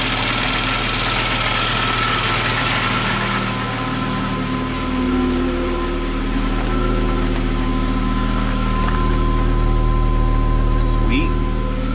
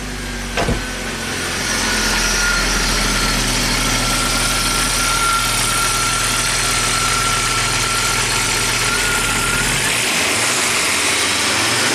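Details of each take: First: Abandoned Audi turbo, cold engine reluctant to rev: even idle with a thin steady whine above the engine note, a noisy fuel pump, though the engine is running. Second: Rare abandoned Audi turbo, cold engine in neutral, reluctant to rev: even, steady idle with no stumble, only a faint high whine from the noisy fuel pump; normal idle.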